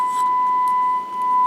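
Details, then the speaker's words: Kenwood TM-451 UHF radio after PLL repair, with a wire run from test point 101 to the IC input to bridge the lost connection: clean steady tone with no crackle or dropout; radio receiving and working normally. "Okay, and you see and hear the radio working. So everything is"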